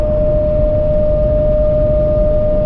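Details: Camper van with newly fitted Thule roof rack, at cruising speed: loud steady pure howl at one high pitch over road rumble, wind whistling across the rack bars; driver calls it horrid high-frequency vibration.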